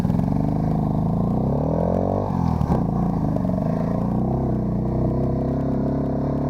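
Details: ATC 90 with a stuck timing advance, runs but not well enough for the trail: lumpy rumble, speed sagging and recovering about every two seconds; rough running.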